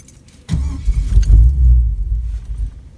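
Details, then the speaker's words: LS V8 with TH400 swapped into S10 Blazer, dead cold start at 32–34°F on factory tune: fires and rumbles low, never flares to higher RPM, then sags and fades; hard cold start, owner suspects cranking fuel too rich. "number one it's not trying to flare up up like it should on a dead cold 30 it's either 32 or 34° right now it should go to a higher RPM but see how it's just trying to start and then slobber on itself"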